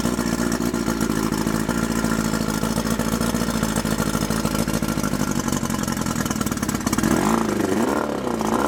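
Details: Mercury 50 hp Classic 500 four-cylinder two-stroke outboard, carburetors cleaned, electric starter, choke and key switch added, recoil start repaired, running on water; steady buzzy note, revs dipping and picking up without stumbling: normal running.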